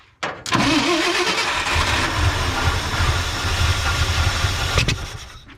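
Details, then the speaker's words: 1967 or 1968 Ford F100 at its first start in about 10 years, run on gas poured into the carburetor; a carburetor rebuild kit is planned. After a short crank it catches and runs raggedly for about four seconds with spitting pops, then dies from fuel starvation. "yeah probably that spitting out the back pump a little bit out of gas now go keep going"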